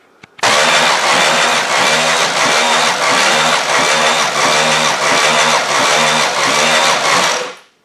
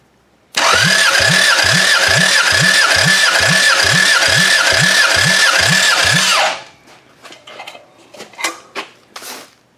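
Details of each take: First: Demolition derby engine cranked by the starter with no spark plugs for a compression test: an even chug of about eight or nine beats with no firing, turning over slower than expected. Low compression (readings about 100–140); head problem suspected, starter to be changed. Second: Bare demolition-derby engine, run in a derby before, cranked during a compression test. Even regular compression pulses, about four a second, then it stops; healthy compression, motor judged usable.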